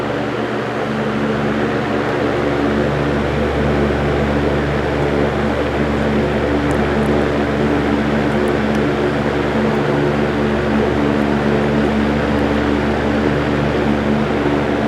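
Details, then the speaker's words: GE Vortalex antique fan, 50+ years old, after replacing its gummed oil wicks. Smooth, constant hum with a soft, even whoosh and no ticking, rubbing or wobble. Normal running. "Listen to that sound though, that is such a clean sound. That is why I love these Vortalexes so much, because the blade set and the heavy cast metal parts help absorb excessive sound."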